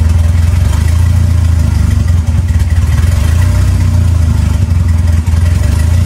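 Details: 2.3L turbo four Lima-swapped into Smokey on PIMPX batch-fire engine management, warming up after first start for base timing check; steady deep idle with even low throb and a couple of brief dips, no knocks or ticks; normal idle.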